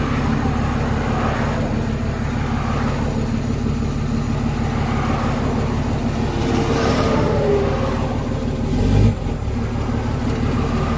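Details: Diesel truck started after reinstalling the transmission, crossmember and driveshaft at the roadside; settles into an even, steady idle with low rumble and no knocks or clunks; sounds healthy; normal idle.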